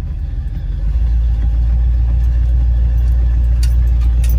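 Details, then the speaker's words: Lifted 1976 Chevrolet K10 Silverado (replacement engine) pulling away on its test drive after an NP205 swap, rebuilt transmission and new lock-out hubs; deep smooth rumble pulling steadily, no knocks, misses or ticks, normal running under load. "it rides the nicest even lifted it rides better than the black the little black truck that my dad drives in the winter time and that's stock height and drives the nicest it runs nice"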